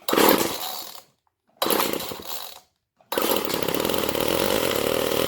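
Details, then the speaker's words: Old GTI 15T string trimmer two-stroke on mixed gas after fuel line replacement, started with starting fluid: raspy rev that fades and cuts out twice then catches; fuel starvation, carb not metering fuel, single adjustment screw to be tuned. "Well, she's running, but she ain't happy, so we're going to adjust that carb a little bit."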